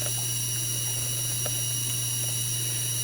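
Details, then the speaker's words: FSP 300-60GHA PSU, output capacitors replaced, under load with rails 11.93 V, 5.06 V, 3.33 V, power good 4.5 V: several high steady whistling tones over hiss and mains hum; coil whine and hiss, owner suspects more than the 12 V capacitor. "but still the fact that unit is still that unit's still making all that uh hista and squeal and all that crazy noise"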